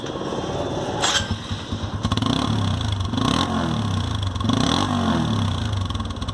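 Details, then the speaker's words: TVS Apache RTR after clearing an insect nest or dirt blockage from the silencer. The bike fires and revs in clean, even blips with a crisp, unrestricted exhaust note and no muffled choking. Normal exhaust note. "तो आप देख सकते हैं ये वही Apache RTR है और इसकी आवाज़ बिल्कुल सही हो चुकी है।"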